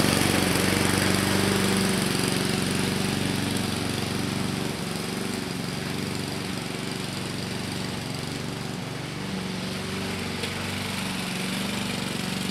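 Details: 2014 Husqvarna HU700F self-propelled push mower, Honda GCV160 engine, after a carb clean: steady, even single-cylinder putter at constant speed, no hunting or misses; running smoothly and healthy.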